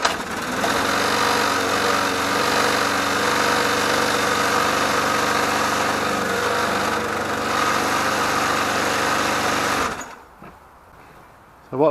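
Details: Mountfield HP454 petrol lawn mower with a reported oil leak, unstarted for over a year, runs with an uneven, lumpy beat around four pulses a second that wavers, then cuts out; running rough, owner plans to replace the carburettor diaphragm and O-ring.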